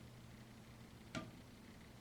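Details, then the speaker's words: Quiet room, then one sharp isolated tap with nothing running, heard near a mirror; intermittent tapping inside the wall, possibly dripping or pipes, source unconfirmed. "it's like coming from the mirror. The mirror? Yeah. Wow, that's weird. That was a loud one. Yeah. It's probably just pipes in the wall or I'm something. sure."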